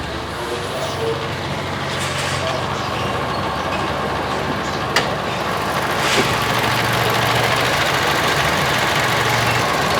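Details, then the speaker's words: 2014 Toyota Kijang Innova G manual petrol, 8 years of use, high mileage; idle after start: low steady hum, even beat, no knocks, ticks or misses; no warning lights, AC cold, engine healthy. "Starternya aman, nggak ada lampu indikator yang nyala-nyala setelah mesin hidup. Semua normal, mesin sehat, terus AC dingin ya."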